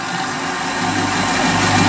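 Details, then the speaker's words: Saw cutting a 25mm thick titanium 6Al-4V block: even, steady hiss and rasp of the blade working through with no chatter or squeal; cutting cleanly and fairly straight, chips cleared periodically since they can catch fire. "cutting nicely the blade still cutting semi straight and yeah I've had to stop a couple times to get these chips away cuz those chips catch fire if you're not careful"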